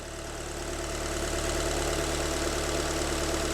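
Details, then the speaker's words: Alfa MiTo Cloverleaf just after repair, cold day, idling after starting straight away; a little misfire at first; now even steady idle with no knocks; normal idle. "how did that start up straight away no one no one's ever done that they take three or four turns"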